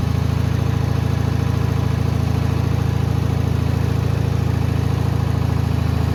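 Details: Bolens HT20 garden tractor idling after a primer-bulb cold start: smooth, low, steady idle with an even beat and no misses or rattles; healthy small engine.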